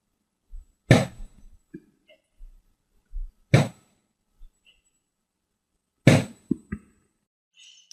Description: Витяжка вимкнена, але шумить? Схоже це стукає вентиляційний клапан.